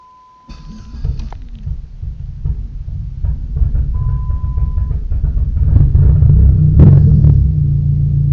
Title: Hard start